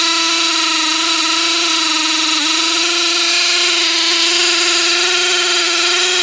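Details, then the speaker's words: T-Maxx replacement engine, idle screw at 3.5 turns: it putters, then screams at full revs with no throttle input, a runaway high idle. The owner suspects air bubbles in the fuel line; the cause is unconfirmed. "so yeah it just sits there and screams and I don't know what to do I mean it seems like the fuel line is getting air bubbles in it"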